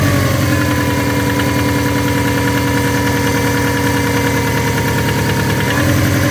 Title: SF5 Forester Engine Knocking